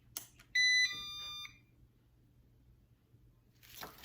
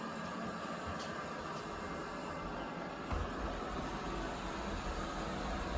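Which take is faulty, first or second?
first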